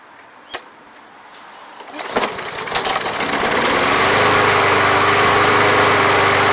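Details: Briggs and Stratton lawn mower (MTD), after Seafoam treatment without removing the carburetor: a few cranks and pops, then it catches and settles into a steady, even run without surging or dying; previously a no-start.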